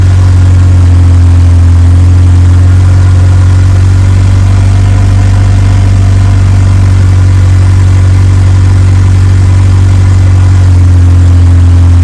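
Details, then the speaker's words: Evo 8 4G engine in an Evo 6 after fitting a lifter to remove play, cold start then warmed up: steady even low idle, smooth firing beat, no ticking or knocking over exhaust drone; normal 4G. "all right well it's not making any noises um warmed up sounds like a normal 4G"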